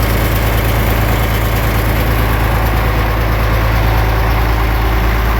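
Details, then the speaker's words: 560 diesel just after priming the fuel system, radiator cap off: deep, steady, even idle with no knocks or misses, not pressurizing the cooling system; one injector later reads cold (about 120° vs 160–170°); normal idle. "she sounds healthy running nice and clear she's not pressurizing the cooling system by all well that's good"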